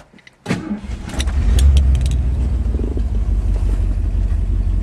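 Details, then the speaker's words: 1971 Ford Torino GT V8 at idle, oil pressure over 50 psi: loud, raw, chuffing rumble from an exhaust leak, with rusty tailpipes needing replacement. "as you can hear it needs tailpipes they're rusty so it's got exhaust leak but"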